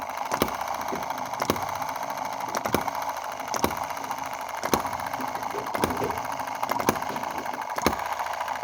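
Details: Small Chinese EM2/M19 hit-and-miss single-cylinder gasoline engine after valve timing adjustment, a carburetor clean and governor ball fixes. A crisp firing bang comes about once a second with an even coast between beats and no misses: healthy hit-and-miss running.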